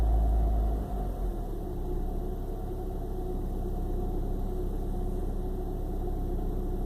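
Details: 1995 BMW 318i with an intermittent rough idle and rough start: uneven, lumpy rumble with a stumbling beat, like a cylinder dropping out, despite new spark plugs; cause unknown.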